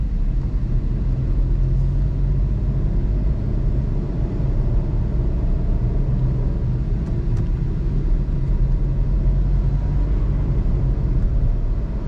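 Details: 2021 Suzuki Alto VXR/VXL 660cc moving with AC on: steady low rumble, even and smooth, with no knocks or whine. Little difference from AC off; normal engine running.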